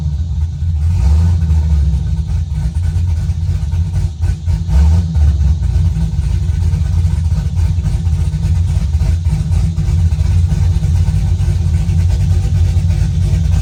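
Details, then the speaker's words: Car reassembled after bellhousing fluid leak (suspected off-centre rear cover) with open exhaust and no tune, needing some throttle to start: deep, loud rumble at steady idle with small throttle blips; runs fine now. "What it was needed gas. Has no tune, so we had to give it a little bit of gas pedal to get it going. And once you got it going, it would go."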